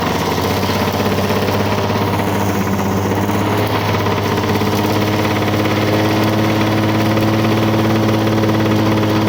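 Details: 1985 Lawn Boy 7350 two-stroke mower, revived after years outside, cutting thick weeds; steady buzz holding speed under load, even firing, no misses; owner says real good running though may adjust RPM a little.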